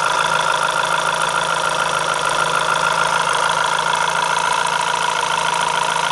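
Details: Renault F4R engine at idle: steady idle with faint, loosely regular tapping about three per second over the engine hum; source not identified. Abnormal engine noise at idle.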